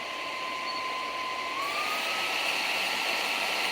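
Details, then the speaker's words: RC basher (Limitless build) motor bench test with everything fitted, voltage raised to 7.4 V and beyond: a clean thin whine holds, then glides smoothly higher with no clicks or grinding; normal motor spin-up. "you hear the voltage increase that's a higher voltage we're running 7.4 even more than that"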